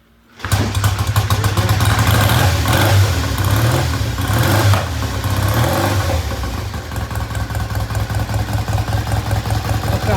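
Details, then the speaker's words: 1973 Triumph T100 twin after restoration: catches on the kick and settles into an even, strong thumping beat at a slightly fast idle, idle deliberately left high to be turned down later; good oil flow, healthy start. "good we're going to leave the idle just a little bit High it can be turned down later"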